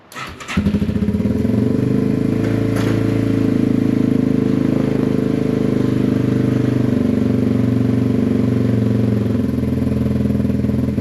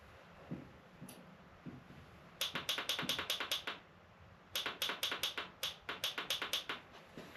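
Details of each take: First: Yamaha TW200 single after sitting a long time (starter solenoid suspected sticking), running on half choke: catches and settles into a steady, even idle with no misses or knocks; running fine. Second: Yamaha TW200 motorcycle that sat a long time with a dead battery, on a jump box with choke on: quick bursts of sharp dry clicks about six a second, no cranking; rapid starter clicking, owner suspects a sticking solenoid.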